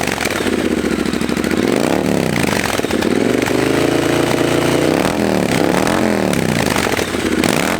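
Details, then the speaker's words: Triumph Bobber after installing Motone Customs H-Bomb exhaust and a 12-minute tune: deep even exhaust note rising and falling smoothly through rev blips, no knocks or misses; engine runs healthy. "I don't know that sounds really good uh we'll have to put them next to each other to see if there's a real difference or not but it sure does sound really good"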